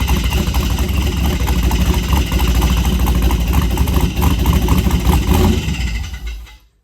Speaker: It cranks up fine. I don't hear any knocking, but I'm hearing like a scraping sound or something.